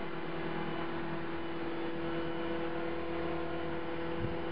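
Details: CopterX RC helicopter after a crash: steady, fairly high buzz at one pitch over the motor run with blades out of track; owner suspects bent blades, hopes the blade holder or feathering shaft isn't bent.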